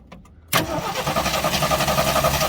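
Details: AMC Hornet parked for years: starter cranks with an even chugging rhythm but the engine never catches; only a weak spark found, cranks but no start.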